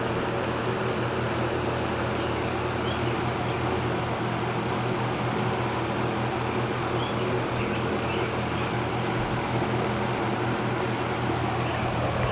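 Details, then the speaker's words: Roughly 60-year-old GE 20-inch box fan, model F17W12, on high speed: smooth, constant low rushing drone with a faint steady hum, no ticks or rubbing; normal running. "these old box fans they always give off that distinct low frequency sound to them I can come in a room with my eyes closed and know that yep that's the sound of an old box fan running they always have that distinct low pitch frequency sound"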